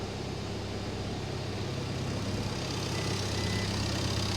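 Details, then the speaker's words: Crash-damaged salvage diesel van, first start after cranking and priming with many dashboard faults (glow, airbag): settles into steady, even idle with smooth low rumble, no knocks or misses; normal idle, engine runs and sounds nice. "yeah yeah mate at least it runs yeah at least it runs and it sounds nice doesn't it"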